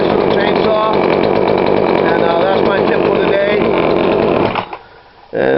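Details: Poulan Pro 42cc chainsaw, after adjusting the carb low screw: steady crisp buzz that picks up cleanly, then drops to a clean idle. Running right.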